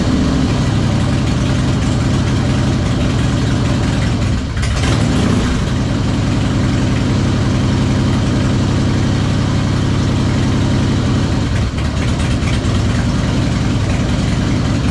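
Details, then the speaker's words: 2001 Harley-Davidson Heritage Springer V-twin idle, first start after long storage: uneven lumpy beat about 220 pulses a minute, never settles; runs rough, spark and compression fine, owner suspects intake or carburetor, leaning toward intake (carb-to-intake gasket). "Like I said, it's running rough because I'm thinking it's a carburetor issue or it's the intake, and I'm leaning more towards the intake."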